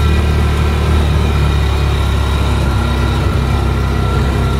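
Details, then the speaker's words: 2002 Ranger 6x6 Series 10 driving. Deep, even engine drone and steady road rumble with no clunks or rattles: it drives smooth and tight. "everything's nice and tight I really thought a 6x6 like these would just drive like crap this one here it's not too bad"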